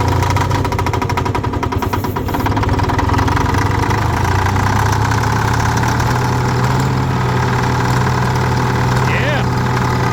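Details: Mid-1960s Detroit 4-71 two-stroke diesel in a Galion grader, cold start at +9°C after 5 months sitting, with booster cables and ether; it settles into a steady, even low idle with no misses or knocks.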